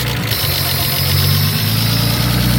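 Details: Nissan R32 Skyline RB20 first start after install, one charge pipe and air temp sensor missing, lifters still bleeding up: steady even idle, smooth low rumble, no knocks or misses; normal idle.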